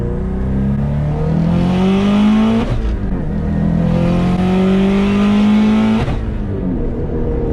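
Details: Modified ~500HP Subaru STI after cylinder 2 misfire fixed, suspected opened spark plug gap, full-throttle pull: strong smooth pull, pitch climbing steadily, no stumbles or pops; normal acceleration.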